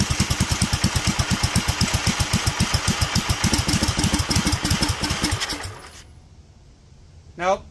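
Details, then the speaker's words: Duromax 18hp single-cylinder engine with upgraded intake, started with throttle help; chugs about two beats a second, slows and dies after five seconds, idle having tried to drop to 700 rpm; owner will raise idle screw, may need warm-up. "died, although it tried to drop to 700 for some reason. I'm gonna adjust the idle screw in a little and see if that's what's going on."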